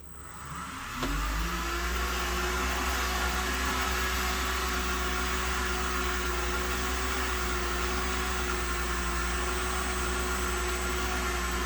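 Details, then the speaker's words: Repaired Headhunter X-caliber 12/24 V DC variable-speed pump installed on the boat, programmable, likely on the low 400 W setting, tap opened for 5 seconds: spins up within a second to a steady even hum with faint whine; running normally. "I think this is just the 400 watt setting, which is relatively low and perfectly fine for what we need."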